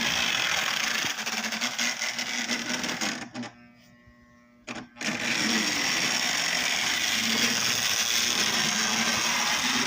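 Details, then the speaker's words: Lionel Tie-Jector on brand-new track with still-dirty wheels: the motor hums and rattles steadily, then cuts out for over a second and resumes, from a track continuity problem. "I got a continuity problem with the track right over here. I don't know why."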